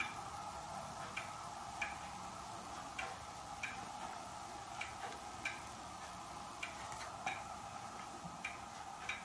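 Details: Hermle weight-driven clock movement on a homemade test stand: crisp, steady tick-tock about every 0.6 seconds over a quiet room; movement in beat, running normally.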